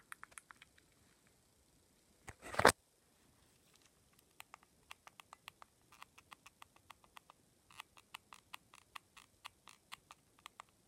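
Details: Nintendo Switch left Joy-Con: a faint squeaky tick with each button press, about two per second; probably down to wear and tear.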